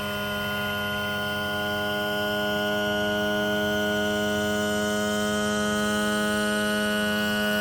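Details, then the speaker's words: Yamaha F200 outboard with newly replaced tilt/trim hydraulic motor, after cycling up and down several times until popping stops: steady even electric motor hum at constant pitch, no popping or crackling; normal trim pump operation. "And everything is now good to go. So again, it should sound like this once everything is done."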